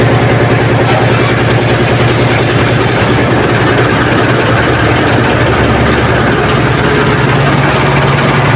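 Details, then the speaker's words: Ship's diesel generator engine at 1,150 rpm running after repair of the noisy coupling to the air compressor, compressor still disengaged; steady even low thrum, the earlier loud noise from the coupling is gone. "Ayan mga boss oh umiikot-ikot na at nakaandar na siya at wala na yung maiingay na tunog"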